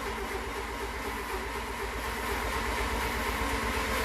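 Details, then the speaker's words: Renault LeCar with points ignition, cranking with ignition on after about 20 sprays of starting fluid: a steady cranking rhythm, about two turns a second, that never fires. Battery good; no spark, so the points are judged bad. "I got the ignition on we're not getting any Spark It's got points I can see my screwdriver sparking but it's not sparking where should be"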